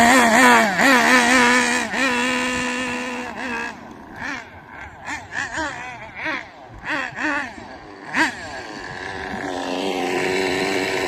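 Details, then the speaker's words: Hobao Pirate nitro RC car during engine tuning. Revs rise and fall raggedly with spitting, stumbling bursts, a bit of smoke and no performance because the high-speed needle is set very rich; it is to be leaned clockwise. "So, At the minute, it's very rich. That's why it's like spitty. That's why there's no performance."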